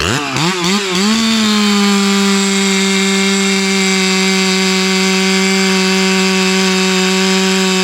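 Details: Ported Hypo 660 build chainsaw with added third muffler port and stock chain, cutting a roughly 18-inch dry log with knots: quick rev blips, then a strong steady high scream through the cut without bogging; healthy.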